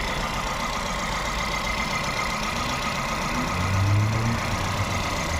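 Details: VW Vento/Polo with code P0301 (cylinder 1 misfire) and EPC and engine lights coming on at 50–70 speed: idle has an uneven, lumpy beat with a regular stumble in the exhaust rhythm; no injector pulse found on cylinder 1.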